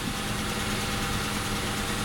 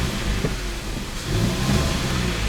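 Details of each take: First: Before repair, engine idling, clutch pedal just touched: a faint whirring rough edge rides over the steady idle; release bearing (collarín) noise, fixed later by replacing the full clutch kit. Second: After clutch kit replacement (disc, pressure plate, release bearing), engine warmed up, clutch pedal down: steady low rumble with no whir, chirp or rattle from the release bearing; the clutch sounds healthy.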